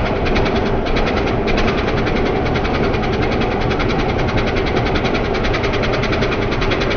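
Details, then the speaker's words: 1993 Ford Louisville L8000 diesel truck, first run after sitting about 11–13 years: loud steady diesel clatter at idle, even beat and constant level, no misses or stumbles; normal idle. "It actually runs good. Everything's spinning. Everything is spinning."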